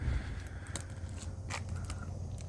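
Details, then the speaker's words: Galmet Airmax³ 14GT air-source heat pump outdoor unit on first start-up: soft, steady low fan hum barely above leaves scraping on the ground; a delicate fan sound, runs quietly and normally. "A tak pracuję sobie jednostka zewnętrzna jak widać a raczej w sumie słychać jest serio Cicha no bardziej słychać liście które tutaj szurają po ziemi No i słychać delikatny Wertera ale to jest zupełnie normalne"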